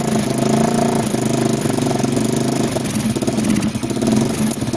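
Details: 1987 Kawasaki Mojave 250 ATV, neglected after long sitting, second start after tightening the exhaust manifold: fast, busy idle with a ragged puffing edge instead of a settled tick-over; the choke is missing and its port is plugged with a small orange plug, causing the high idle, plus an exhaust leak at the header.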